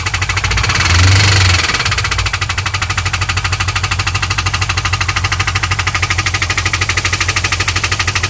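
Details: 2001 WS6 LS1 5.7L V8 after running out of oil and refilling, earlier ticking only at high rpm: after a brief blip, a steady ticking knock about three a second runs through the idle, following engine speed.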